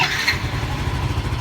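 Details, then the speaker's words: Yamaha Mio M3 scooter after fixing MIL code 46 (charging fault), with the regulator checked and the battery charged: a short, brisk crank catches at once into a steady low putter. The engine starts easily and the warning light is off. "nyala enteng banget karena Akhirnya sudah ngisi ya"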